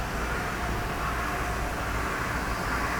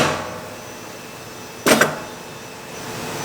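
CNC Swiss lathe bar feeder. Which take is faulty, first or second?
second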